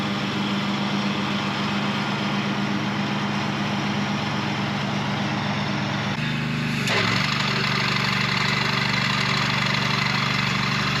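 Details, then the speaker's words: Mower with worn blade clutch, before repair, mowing tall grass: cuts fine with deck raised, but when deck drops engine pitch sags and labours, which points to a slipping clutch: engine bogging under load. "Cuts perfectly in the top level. Soon as I dropped it down, it slowed down, which again diagnoses a fail cut."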